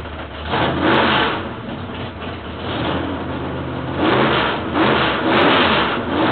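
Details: Freshly rebuilt L88 427 Chevy V8 from a '66 Chevy II, upgraded to a hydraulic roller cam, run on open headers without a thermostat. It revs up and down crisply and evenly, with no knocks or misses.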